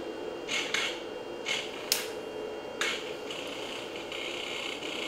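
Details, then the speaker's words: Toyota electronic throttle body on a test bench with its ECU, still stuck in the fault mode left by electromagnetic fault injection, with the injector disarmed: quiet hum with irregular sharp ticks and buzzy bursts every half second, likely needing a full power cycle. "Jitters and arm up there actually so that I didn't even insert a pulse it's currently disarmed um so it is still in whatever that weird mode is"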